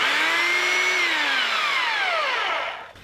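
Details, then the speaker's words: Corded two-speed hammer drill, 3-prong plug missing its ground, on a GFCI outlet, after speeds 1 and 2 in hammer mode, now drill mode: clean steady whine without hammer chatter, even wind-down on release; normal drill-mode operation. "Alright, that's speed 1. Speed 2. And those were both in hammer mode, and here's drill mode."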